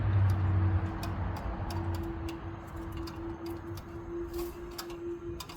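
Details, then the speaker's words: 2024 Tesla Model 3 Performance on 20-inch wheels, reversing slowly: faint hum with light, uneven clicks a few per second; clicking traced to the loose aero wheel covers, fixed by removing them. "we're going to demonstrate this clicking noise at low speed so we have a fairly quiet ambient noise some traffic going by as we back up towards the garage wheels that hear the reflected sound"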